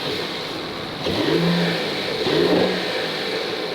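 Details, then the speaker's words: Salvage-rebuilt Mercedes E53 AMG, first start after repairs, viewed from the engine: steady even note with two clean rev rises settling smoothly, no misfire, knock or wobble; engine running perfectly. "so guys as you can see the engine is running perfectly we've got no wobble down there everything's running smoothly"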